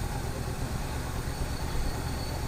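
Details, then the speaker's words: 1971 Buick Skylark at idle after revival on temporary fuel feed: low, even rumble with no knocking or tapping, a little smoke out the back; may need idle set, some vacuum lines unhooked, needs oil change. "Yeah, a little bit of smoke, but I'm not hearing any major knocking or nothing."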